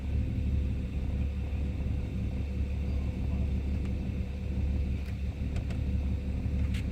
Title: EL XR6 oil pressure problem rough idle